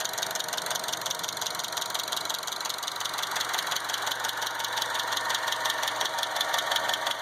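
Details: 2012 Chevy Cruze: crisp, light tick about three per second over a smooth idle from the top end; bad hydraulic lash adjusters (lifters), not ticking injectors.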